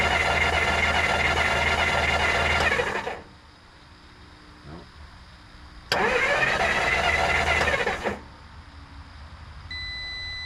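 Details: 1954 Dodge Coronet Suburban Poly V8, after 42 years in a garage, stalls after running smoothly; starter churns evenly for several seconds, stops, cranks again, never fires; cranks, no start, owner suspects lost spark at the ignition points.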